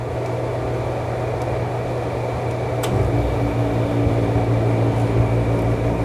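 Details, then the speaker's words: Window air conditioner switched to cooling low: steady blower fan hum, then near three seconds a soft thump as the compressor kicks in with a deeper even drone; normal compressor start, cooling works. "Sound सुना compressor start हो गया fan के साथ में compressor भी चल रहा है"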